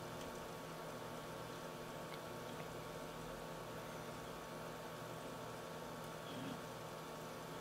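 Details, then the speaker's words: H220 liquid cooler pump in a 600T case, running alone with only the hard drives and no fans, side panel off: it spins at about 2400 rpm, then at full max speed of about 2990 rpm, giving a quiet, steady, fan-like whir with no ticking or rattle. "currently the pump is running at 2400 rpm you know honestly sounds like a fan to me and that is the pump by itself running at full max speed it's about 3000 rpm"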